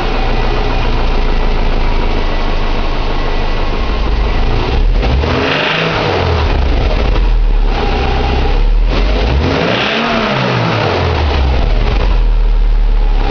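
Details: 2006 Subaru Impreza 2.5i, EJ257 SOHC naturally aspirated H4 boxer, 52k miles: revved up and down twice with rough uneven clatter; owner suspects pulley, timing belt bearing, piston slap, tappet or rod knock, unconfirmed. Abnormal engine noise when revving.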